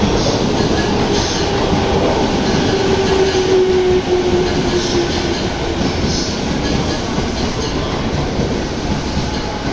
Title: 【横須賀線】変な音がするE217系入線! 品川駅